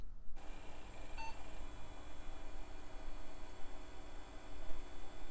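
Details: Mid-90s to early-2000s tower PC after swapping in a 128 MB PC133 RAM stick: one short high beep soon after power-on, then only steady fan hum; normal POST, boots further.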